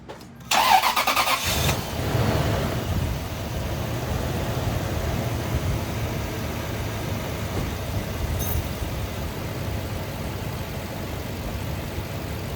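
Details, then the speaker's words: 2004 Lexus GX470 after replacing serpentine belt and weak tensioner, previously squealing mostly when cold: catches quickly, smooth even idle, no belt squeal or chirp. "Nice. It looks like it's running smooth."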